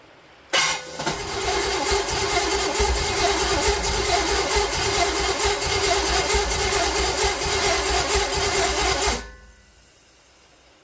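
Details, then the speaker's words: Mystery small-block Chevy 350, a vacuum leak noted: engine catches with a sharp bark, runs ragged a few seconds, then dies as every time; cause unknown. "she really barked off right at first like she does every time and then nothing"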